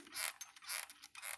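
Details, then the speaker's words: Brooks Imperial Flyer sprung touring saddle: a loud, high, creaky squeak with every compression, about twice a second, on every pedal stroke. The coil springs keep squeaking despite greasing and oiling everything. "this thing freaking squeaks. It won't stop freaking squeaking. I try to grease everything, oil everything."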